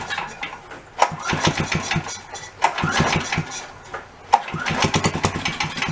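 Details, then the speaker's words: Yerfdog go-kart that sat for many years, started with fuel squirted in, governor unhooked and no fuel filter: three bursts, each rough popping about a second then dying; owner suspects sucked-up debris or no fuel reaching it. "so we either sucked up some debris or there's no fuel getting to it at all"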